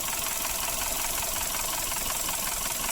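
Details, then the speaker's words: Suzuki Ertiga at start-up with sludged, clogged oil passages despite an oil change: harsh, rapid metallic ticking and rattle over a rough idle; VVT sprocket loose from lack of oil pressure, slack timing chain. "pada saat starter itu timbul suara kasar ya seminggu suara kasar seperti ini trouble Ertiga suaranya seperti ini"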